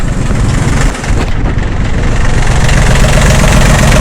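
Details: Yanmar F16D compact tractor (1983–86), 1.0 L three-cylinder 20 hp diesel: steady, loud, even chug at idle with no knocking; runs really good.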